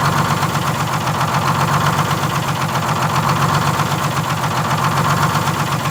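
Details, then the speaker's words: 1947 Silversides bus (3751) with Detroit Diesel 6-71 two-stroke, warm idle with a slow gentle surge roughly every two seconds; the governor buffer screw is out of adjustment, and the governor is being adjusted to get the hunt out and shutdown working. "i just want to make sure i get the hunt out of it real easy but you did did you notice that's what i was doing yeah oh yeah that's just the buffer screw yeah it's gonna have to all be adjusted in order to get this to work to the right position"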